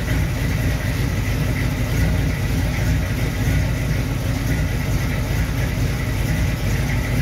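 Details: 1937 Dodge engine running after a new distributor install and initial timing set; steady, even low rumble with no misses, knocks or ticking; distributor works fine, runs like a champ, but needs new plug wires.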